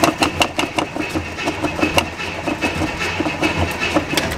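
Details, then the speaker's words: Carbureted 1968 Camaro after sitting dusty in a garage, throttle pumped before cranking: steady starter churning about two to three turns a second with no catch; cranks but won't fire, fuel then poured into the carburetor. "we're gonna give her a little bit of gas, just you know, so it doesn't crank all day."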